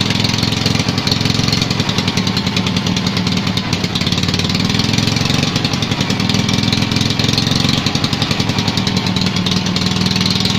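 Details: Invacar engine running after 14 years abandoned, a bit of fuel now drawn in despite a possible pipe blockage or sender problem: slightly uneven chuffing idle with no clear knock, smoky exhaust and oil burning off the engine; runs, but roughly.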